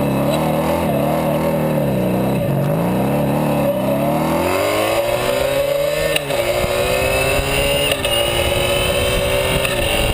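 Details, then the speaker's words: Sabre cafe motorcycle with new exhaust, carb mixture adjusted after wide-open setting ran too lean and hot: crisp even exhaust note climbs smoothly with revs, no misfires; mild resonance around 5,000 and maybe 9,000 rpm; runs well. "not bad so not too bad uh runs pretty well it's got a resonance about 5,000 RPMs maybe one about 9"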